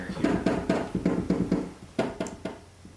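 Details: Yamaha Clavinova CLP-820 keyboard: dull wooden clunks as each key is pressed and released, with no cushioning; the upper and lower key felts are compacted and worn and need replacing.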